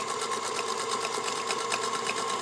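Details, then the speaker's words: Singer Featherweight 221 sewing, freshly greased and oiled with new belt, cord, pedal and size 16 Organ needle: quick, even needle-mechanism ticking, light and steady, no knocks or grinding; quiet, smooth normal running. "amazing how quiet and stable a featherweight is because they don't weigh much obviously they were designed to be very portable"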